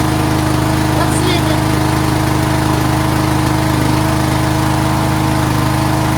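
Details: Craftsman 13.5HP 30-inch riding mower idling after a valve lash adjustment and on a rejuvenated battery: steady, even, unbroken single-cylinder thrum; running cleanly. Charging was later seen running high, about 15 volts.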